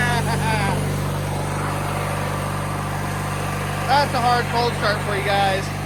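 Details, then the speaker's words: 1997 MTD Yard Machines riding mower single-cylinder, hard cold start at 10°F (-12°C), started with ether sprayed into the carburetor: steady low even drone once running. "guys PR The Ether in the carburetor got it started"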